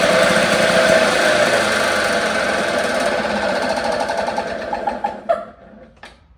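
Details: 1954 Lawn-Boy RPM 8FH13LB two-stroke mower, dormant 50 years, shroud missing, run on a known-good carburettor with throttle worked by hand lever: fast, even buzz with a steady rapid beat for several seconds, then winds down and stops; running fine.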